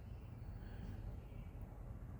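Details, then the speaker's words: BMW E90 N52 that had been dropping and hunting at idle from a hidden vacuum leak, after the cracked hose was glued, taped and siliconed: low, even idle holds steady without dipping or hunting. Now idles properly with no jerking or bucking. "And then I guess now that that is fixed, the engine runs mint again. Like it idles properly. There's no jerking or bucking."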